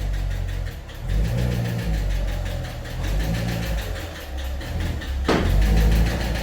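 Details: 2015 Corvette Stingray C7 LT1 V8 before repair: rough idle with an uneven, rapid top-end tapping knock. A DOD lifter was suspected; a broken rocker arm was found.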